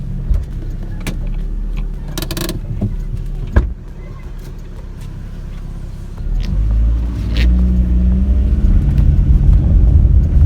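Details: 2013 Chevrolet Aveo driving after replacing the damaged, noisy rear double wheel bearings: only low, even road rumble building with speed, no hum, growl or squeal; rear wheel bearings sound healthy.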